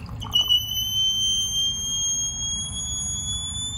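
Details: Toilet tank refilling with a steady high whistle over rushing water, most likely from a worn fill valve seal.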